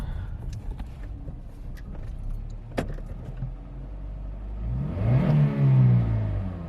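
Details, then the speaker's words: Budget hybrid with CVT after new spark plugs replaced burnt ones for misfire, revved in neutral after cruising at 35 mph: climbs and settles smoothly with no stumble or misfire, after some key rattle; normal rev. "That is a smooth gliding power band. Again, that's transmission. There was no hiccup in that."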